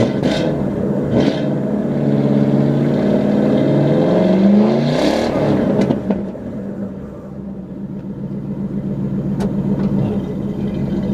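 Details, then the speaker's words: 1995 Lincoln Town Car V8 with header cats, hollowed rear cats, Flowmasters and 2.5-inch tips: deep, even burble rising cleanly with revs and dropping smoothly, no rasp or leaks; healthy exhaust note. "so that combination of the cats on the header and then the Flowmasters gives you uh well, this sound."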